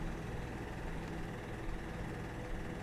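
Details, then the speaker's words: Dynamax Europa 34SS motorhome diesel generator at a mid-winter check, owner worried about gelled fuel: an uneven low chugging as it cranks a long time without catching, before it finally starts and runs struggling a little. "So cross our fingers here. I hear it igniting. It's trying. It's trying."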